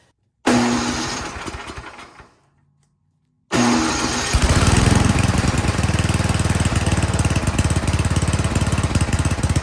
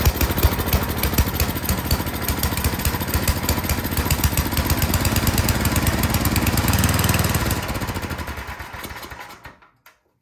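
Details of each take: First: Toro Power Shift 824 snowblower with a no-start complaint, after the gas and primer lines were reconnected, throttle set to fast, choke on and fuel on. The first pull catches briefly and dies, the second fires and settles into a steady, even chug. Normal start and run. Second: Toro Power Shift 824 snowblower after new spark plug, started choked and primed: small single chugs unevenly, note sagging, then fades and stalls; runs only on full choke, dirty carburetor suspected (no air filter).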